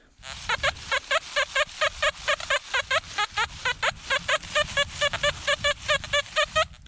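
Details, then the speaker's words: Metal detector at an old coal mining town site; repeated warbling tones about twice a second, fuzzy and unsteady, target ID 65; non-ferrous target, dug up as a harmonica reed. "this signal this signal right here it's kind of got a weird weird tone to it it's kind of got a fuzzy tone you hear that's kind of got a fuzzy tone to it"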